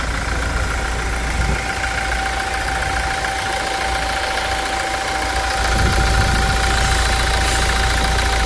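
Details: 2016 Toyota Hilux 2.8 GD diesel, 350,000 km, hood removed, after timing chain replacement: steady, even idle clatter with no knock or rattle standing out; normal idle, running much smoother than before.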